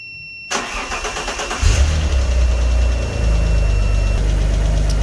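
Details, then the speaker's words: 3.2 V6 car laid up two to three months with a failed clutch, started using a supercapacitor jump pack on the battery terminals: brief cranking, then the engine catches cleanly and settles to a steady, even idle; normal start. "there we go it will start 3.2 v6 as well"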